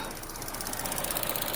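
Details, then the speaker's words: 2014 Chevy Sonic after cooling fan replacement for overheating and warm AC: light quick ticking over steady idle, continuing with AC off; suspected injectors, source unconfirmed. "find out what this ticking noise is. Sounds like injectors. That's my guess. But if I turn the AC off, still making noise."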